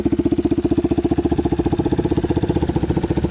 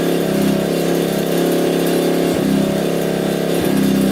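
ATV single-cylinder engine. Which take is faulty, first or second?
second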